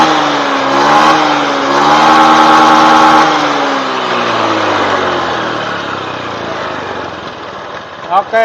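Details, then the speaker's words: Honda Beat FI injected scooter right after manual ECU reset: engine revs cleanly, holds, then falls back to a steady smooth idle with no lag or hesitation, normal revving. "ya suaranya pun langsam enak terus Engak ngeleg enggak Del"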